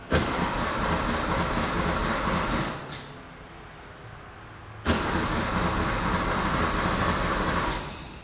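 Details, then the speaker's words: Barn-find Porsche 911 after repairing a cracked fuel soft line: two long bursts of steady starter cranking with no firing. A faint tick is heard that might be the fuel pump. It cranks but won't start; fuel delivery to the injectors is to be tested. "i don't hear it i hear a little tick but i don't know if that's the fuel pump or not"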